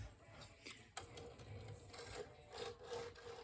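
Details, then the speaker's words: Hermes 3000 typewriter: rough, rasping scrapes as the carriage is pushed, on one side only, and the carriage won't travel to the end. The carriage was seated incorrectly on its rails and was fixed by removing and reinstalling it. "It's one of my favorite typewriters, and we have an issue with the carriage. The carriage seems to make grinding sounds, and that's never good."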